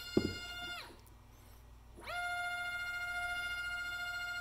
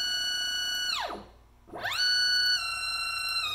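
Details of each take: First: NEMA 24 5 A stepper on a Stepperonline CL57Y closed-loop driver, bench tested with Centroid Acorn and slowed to 1,200 rpm. Pure steady whine settles after a brief drop, holds even pitch, no roughness or stutter: passes, normal running. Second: NEMA 24 5 A stepper on a CL57Y closed-loop driver lying on the bench, which acts as a resonator, pushed from 2500 to 2600 rpm at 2600 in/min. Tones climb high, then collapse into a falling whine: losing steps and position at overspeed.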